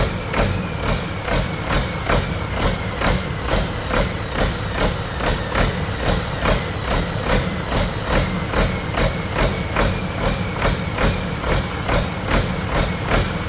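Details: Detroit 40 series generator turbo diesel (rebranded Navistar DT466, possibly DT530), sat outside 5+ years, run briefly without coolant after bleeding injectors: even pulsing about twice a second at no load, throttle going back and forth; pump/governor suspected, unconfirmed.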